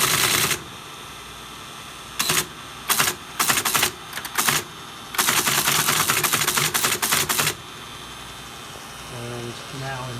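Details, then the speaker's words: Teletype 33 at power-up: loud mechanical buzz from the back persists between bursts of typewriter-like clatter, with erratic Line/Local printing that is not working correctly. "With that loud buzz at the back. Sounds mechanical. Very mechanical."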